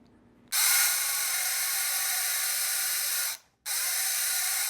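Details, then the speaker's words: 1984 vintage Kenner Imperial Shuttle toy's electric motor after oiling: bright, even whirring buzz, stops briefly and restarts the same; the earlier squealing dry-bearing sound is gone, motor runs freely with the typical Kenner motor sound. "the squealing, kind of the dry bearing sound is gone, and now we get that electric motor and that kind of that Kenner sound that they typically have from that electric motor."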